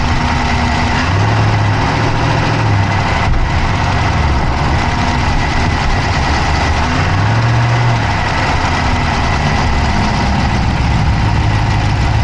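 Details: Dodge Charger Hemi V8 at idle, recorded inside the passenger-side engine bay: a loud, steady idle with a rapid, even ticking riding over the deep rumble, constant throughout; a fast engine tick whose cause is not yet pinned down.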